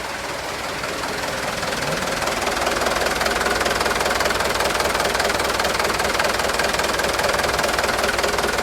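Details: Used 2013 HD 125 PS diesel truck being inspected before purchase: even idle clatter, steady rhythm with no misses or odd knocks, crisp; engine sounds good; normal idle.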